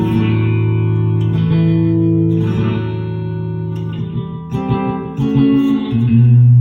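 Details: Electro-Harmonix Vintage 16 Second Delay pedal after repair (complaint was no delay, switches thumping), memory cleared, fast mode, forward, feedback and blend halfway: clean guitar notes with clear repeating echoes; delay working properly.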